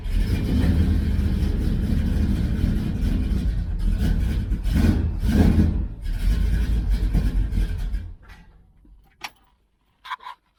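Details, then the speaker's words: 1966 Dodge Charger, 383 V8 with aluminum heads, while tuning a Holley 4150 double-pumper carb: loud, lumpy running with uneven beats and odd bangs before dying. Fouled plugs are suspected of causing the misfire while warming up. "i think we had a little bit of a foul plug situation it's got a little bit of a misfire starting to re-light those holes and uh you're banging as it's lighting the gas"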